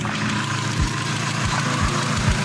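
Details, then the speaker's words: Mazda MX-5 NA petrol engine idling with engine flush added before an oil change: light, uneven tick a few times a second over the idle; owner thinks a sticking hydraulic lifter, unconfirmed. "das ist einer der Hydrostößel glaube ich die der so ein bisschen verklemmt ist"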